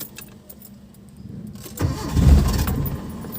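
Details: Mitsubishi Lancer "itlog": a short crank burst after a quiet pause, rough low churning with no clean catch; hard starting, now said to be okay.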